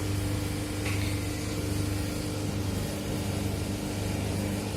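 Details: Manitowoc ice cube machine running: steady mid-pitched hum with a low drone, even and unchanging; the abnormal noise seems to come from the fan motor. Cause suspected, not confirmed.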